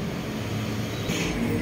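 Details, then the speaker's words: 2006 Chrysler Town & Country idling after replacing the cracked engine support (mount) with a new original part; previous vibration gone, low steady rumble with no knock or shudder. "guys so nawala na yung vibration niya Okay na siya"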